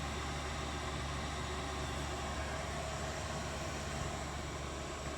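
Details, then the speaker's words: Chinese diesel heater on a bench test, running 12 minutes and fully up to temperature, reading 8.9 volts with no errors. Steady, even hum with a low drone and an airy rush, no surging or misfire. Normal running. "okay guys since we've hurt powered it on it's been on 12 minutes and you can see here we're all the way up to temp now she is just a humming wall right there"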